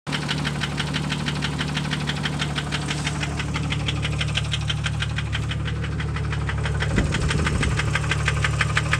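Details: 1998 Jeep Grand Cherokee Laredo 4.0 inline-six at steady idle: a sharp, regular tapping about twice a second over the low engine hum. Engine knock at idle.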